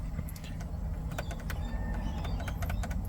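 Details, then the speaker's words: Ford Territory SZ after replacing the driver-side blend door (mix) actuator motor that had been clicking under the driver side: steady low cabin hum, no repeating clicks, actuator now silent. "so now it not not make any sort of noise at all and seems like it's"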